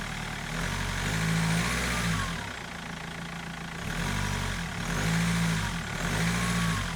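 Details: BMW M47 diesel after crankshaft pulley replacement, bolt torqued to 100 Nm plus less than the full 150 degrees: even idle clatter with gentle swells and no knocks or squeals from the front pulley; it sounds healthy.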